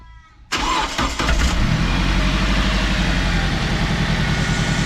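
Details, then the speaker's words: 2006 Toyota Hiace just after a full service including spark plugs, started to check for oil and coolant leaks with one point left open: it cranks, catches within a second and settles to a quiet, steady idle with no shaking; healthy. "runs very quiet now. Beautiful. No shaking at all."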